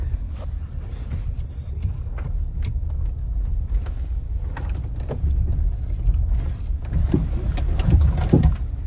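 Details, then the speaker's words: Chevrolet Suburban, dealership said suspension work needed; test drive doing U-turns in a parking lot: irregular dull clunks over low tyre and road rumble through tight turns; suspension knock, possibly worn sway bar links or control arm bushing. "I heard it you heard it yeah but I thought it was something in try oh my o that sound awful yesh"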